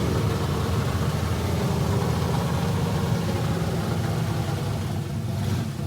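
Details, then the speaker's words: Kyle Petty race car V8, first fire-up after an electrical fault with no distributor spark was found, new exhaust and chassis headers: deep steady rumble with no misses or knocks, running normally; some voltage drop when cranking remains. "well it's always a good sign when you got smoke inside your shop that means something is running"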